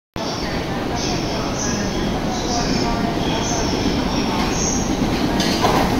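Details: Yokosuka Line E217 series train arriving at Shinagawa Station: rumble with a high hiss-like squeal pulsing about once a second; odd noise, source not identified.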